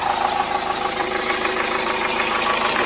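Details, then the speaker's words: Hyundai Starex diesel at idle after clearing DTC P0253, which wouldn't erase at first; van had a burnt alternator wire. Steady, even quick clatter with no odd knock or whine; the earlier noise and engine shudder are gone, running normally. "Wala na yung ingay. Ito may history pala to na sunog yung sa alternator nito."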